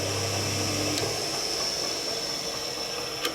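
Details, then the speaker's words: Cement mixer single-phase motor with start winding, capacitor and centrifugal switch, unloaded: a hum with a sharp click near one second as it comes up to speed, then another click while spinning down. Centrifugal start switch working normally. "actually when i start this motor i can hear the switch click and then when it slows down i hear the switch click out again so at least mechanically the centrifugal switch seems to be working"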